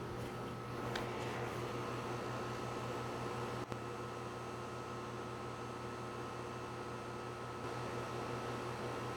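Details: Home A/C condenser with a quiet Copeland scroll compressor, no sound blanket, heard from about 5 ft (about 65 dB): steady quiet hum with soft fan rush and one brief click, level throughout; normal running.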